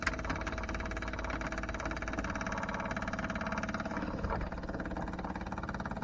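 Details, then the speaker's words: Daytona 4WD, new temporary fuel system with lift pump, surge tank, booster pump and adjustable regulator: steady even electric hum with faint regular pulse as the lift pump runs and primes the surge tank normally. "all right let's see if I can turn the lift pump on that's going to be obnoxious"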